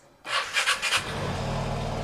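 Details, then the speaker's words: Second-hand Vespa Sprint 3V matic scooter: short starter whirr, catches at once and settles into a smooth, even idle; healthy start. "Nah, dia langsung jreng ya."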